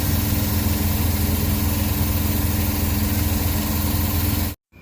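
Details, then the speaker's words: Suzuki DA17 idling after replacing a board, no fault code detected: low idle rumble with an uneven pulse and slight shake; rough idle persists, cause not yet found, ECU and vacuum part to be replaced next. "so nakig guys pinaandar na natin ang problema e Nanginginig pa rin yung makina So ibig sabihin may problema pa rin yung kanyang system"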